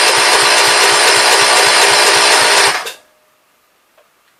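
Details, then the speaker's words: 1973 John Deere 110, choke on, gas fed to an uncleaned carb: fires and runs roughly at about two beats a second for a few seconds, then cuts out abruptly. It seemed flooded; the owner suspects it runs on carb cleaner with poor fuel flow inside the carb. "Okay, there it was actually running on the carb. Maybe it'll go yet. It seemed like it flooded out."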